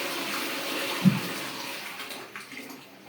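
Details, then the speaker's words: Pneumatic toilet cistern after repairing a cracked part on the small-flush button: click at the button, then a full rush of water draining steadily for a few seconds; flushing normally after repair. "Perfect क्योंकि first time में इसको ठीक से दबा नहीं पाया तो ये ठीक से दबाया और इसने ठीक से काम किया"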